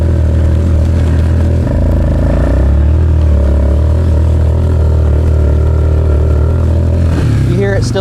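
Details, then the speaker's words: Suzuki Ozark LTF-250 ATV, warmed up, riding in cold air with wind noise: single-cylinder drone wavers and can't climb at wide-open throttle under load, engine bogging; owner suspects dirty carburetor and air filter. "bogging like that wide open though. Here, listen. See how it feels? It sounds like it can't catch up. That's still part of the issue."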